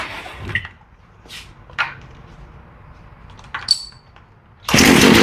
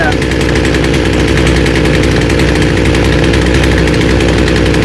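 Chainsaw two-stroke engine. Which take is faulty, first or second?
first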